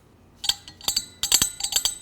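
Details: Alternator fan spun by hand at the front of the engine: sharp, uneven metallic ticks that come and go; no fan blades are bent, and a loose back screw is nicking the fan.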